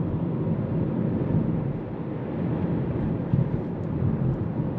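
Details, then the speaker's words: Hyundai Kona Electric with 30,000 km, driving after the gearbox and motor were repaired to cure a roar, likely from bearings; only even tyre noise remains and the roar is gone, the drive unit is quiet and normal. "tout est silencieux [musique] sauf le bruit de caoutchouc Rien ne se fait entendre Et ce rugissement a disparu"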